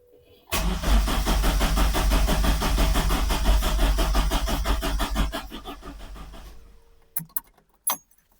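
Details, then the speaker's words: Datsun 510 after ITB conversion, start attempt with the VE table raised to 60%: even cranking about three beats a second for six seconds, never firing. Still far too lean. "So, I did start with 35 in the VE table. I'm going to try 45 now because I think the answer is more fuel. No, still nothing."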